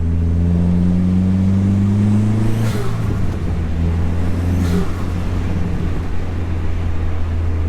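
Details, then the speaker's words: Dodge SRT4 turbo with new Vibrant Ultra Quiet resonator, accelerating around 2,000 rpm, internal mic inside cabin: deep note climbing with revs, then shift and steady pull; loud but not drony, no rattle; healthy. "I'll have to see what it sounds like on the outside of the car, because inside the car it just sounds not drony but loud. 2,000 RPMs right now, a little more. It's not bad."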